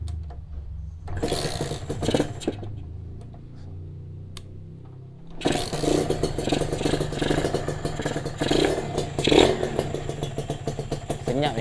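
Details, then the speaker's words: Freshly overhauled Kawasaki RR two-stroke motorcycle at first start after the coolant hose was fitted. After a few cranks it catches into a crisp, even idle with steady popping and no knocks; the engine feels light. Normal running after overhaul. "Baru overhaul. Mesin pun ringan ya."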